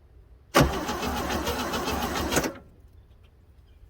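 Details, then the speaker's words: 1966 Chevrolet C10 donor truck that sat unused for a long time, first crank off the key switch after its wiring was reconnected: about two seconds of brisk, even starter cranking without firing. Normal cranking. "so it's turning over under its own power off the key switch and everything"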